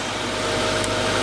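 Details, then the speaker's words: 2016 Kia Optima Hybrid, replacement engine (original threw a rod and burned), just started in ready mode: steady, even idle hum with a faint constant tone, no knocks or skips, running smoothly. "There it goes. She's running pretty smooth."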